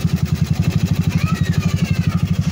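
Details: Honda Dio scooter idling after rebuild with new forged piston, 7.5 cam and new oil pump gear, now very quiet; smooth even low putt, about ten pulses a second, no knock.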